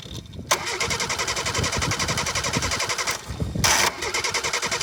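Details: 1988 Suzuki Samurai, lifted, carbureted; starter grinds the engine over in quick regular pulses, a pause, then more cranking without a clear catch to a steady run; cranking.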